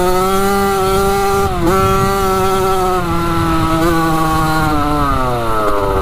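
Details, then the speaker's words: 1985 Yamaha YZ80 two-stroke dirt bike after a rebuild, warm, ridden: a crisp, buzzy note rises and falls cleanly with the throttle, no misfires or knocks. The silencer is not working too great. Normal running. "sounds so good yeah she's sounding pretty good that's crazy obviously the silencer is not really working too great but uh yeah she's ripping good"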